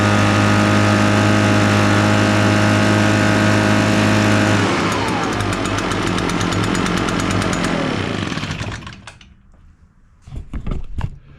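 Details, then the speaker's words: Echo PB-580T backpack blower, brought in running rough and not revving, now back in service: kill button off, low idle, purged and choked, strong even two-stroke roar dropping to a fast steady idle then shut off; normal healthy running. "The kill button is not activated. We got it at a low idle. We got it purged. Give it a choke. Here we go. That works good."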